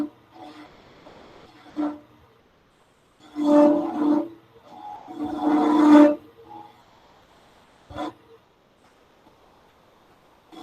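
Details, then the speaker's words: Wood lathe turning a finial, with bursts of a droning, horn-like tone and rough chatter when the tool is pushed hard on the roughing cut: tool chatter resonance. "so as a rule like you'll hear me pushing hard and it you'll hear that resonance um and that's just hopefully the roughing cut i will try always to come back through and get one cut without any of that noise and chatter"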